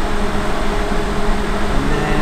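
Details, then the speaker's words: Suburban NT-16SE RV forced-air furnace, thermostat turned on calling for heat: blower kicks on with a steady, even whoosh and low hum, no knocks or rattles, running normally as it's supposed to. "so then a fans gonna kick on just like that"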